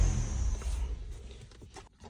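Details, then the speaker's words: 2012 Ford Fusion 2.5L stalling when accelerating: deep engine drone sags and fades after the throttle is pushed, nearly dying instead of holding revs; code for mass airflow circuit low input, MAF reading low and throwing off air-fuel ratio; stalling from low MAF reading. "hey we finally got a code guys that's what I was thinking it was going to be mass airflow circuit low input I thought it was reading on the low side throwing off the air fuel ratio"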